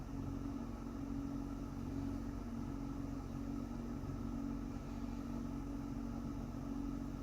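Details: Toyota Mark X GRX130: low droning hum with faint tone swelling and fading about once a second; abnormal air-conditioning noise, cause unclear.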